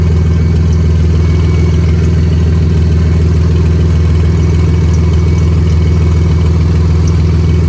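Steady low idle with a deep rhythmic puffing tick riding on the exhaust note, pointing to an exhaust leak.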